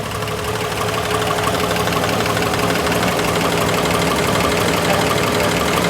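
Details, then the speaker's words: Old V8 in a 1959 Ford Galaxie idling cold with a regular deep clunk about three times a second and no oil pressure; cold knock, cause not yet found. "this is the old engine it clunks when it's cold and there's no oil pressure and you can hear it right now that's right you hear it"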